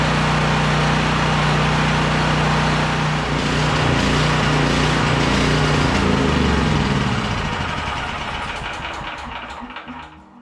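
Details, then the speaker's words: Champion 5500 W generator after maintenance (oil changed, filters and plug checked, new battery, valves untouched): even single-cylinder drone at constant speed with no surging or knocking, winding down smoothly at shutdown; runs healthy. "The engine's running good, so I figured the valves are fine the way they are."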